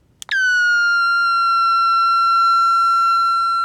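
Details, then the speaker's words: Vintage Aiwa AM/FM transistor radio under repair with a capacitor removed: a clean, piercing whistle near 1.4 kHz jumps in and holds, rising in pitch. The circuit is oscillating; a shorted detector diode is suspected. "oh yeah Rock My World wow it's going up it's almost out of my hearing range now"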